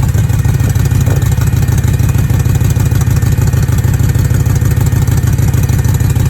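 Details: BMW E9x M3 with S65 V8 in limp mode, idling with a deep, lumpy, Subaru-like burble and puffing pulses: rough idle, misfire in cylinders 5–8, exhaust leak from a missing header-to-mid-pipe gasket.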